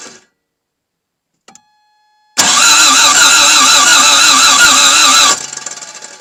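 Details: Toyota MR2 AW11, start attempt after new fuel pump: about three seconds of even starter cranking, engine never catches; cranks, no start, cause unconfirmed, spark to be checked, possible grinding noise after attempt.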